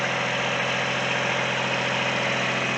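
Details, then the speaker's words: Kubota three-cylinder diesel light plant (built July 2000) after Zexel injection pump rebuild, idling; heard from the loud radiator end, quieter around the side. Smooth, even clatter at constant speed, no misses or surges; normal idle. "so as you can hear this is the loud end only because that's where the radiator is at come around here and it's actually pretty quiet"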